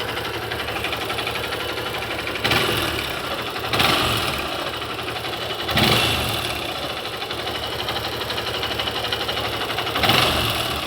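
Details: Honda Bros 150 motorcycle at idle: scratchy metallic tick with a few sharp raps every second or two; strange engine noise, cause unknown.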